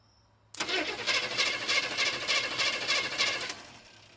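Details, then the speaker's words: 1980 GMC K20 that has sat since 2014, cranked repeatedly to splash oil onto the cylinders before attempting a start: an even starter rhythm of about three compression pulses a second with no clunks or knocks. The engine turns over smoothly. "All right, I just spun it over a few more times. It sounds really smooth. Um, doesn't sound like we have any clunking or bad noises in there."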